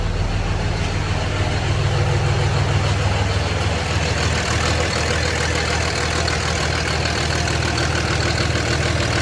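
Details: 2006 Cummins diesel at idle with trouble codes for fan clutch and wastegate solenoid: steady diesel clatter with a slightly uneven, lumpy beat; rough idle, cause not pinned down.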